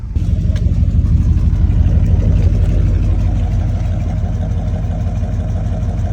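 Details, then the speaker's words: Freshly rebuilt El Camino 350 V8, warm (about 195) after a drive, at idle: deep, soft, even burble with soft exhaust tones and no knocks or misses; runs and drives great after the top-to-bottom refresh. "Yeah, you can hear it's got soft some soft exhaust tones, but you know, if we really want, we'll put a set of heads on it."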